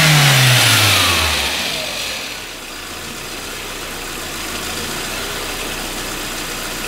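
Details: VW Passat B5 after coolant was refilled: engine note falls cleanly from a high rev back to a steady idle with no misfire, knock or rattle; revs up and settles fine: normal revving.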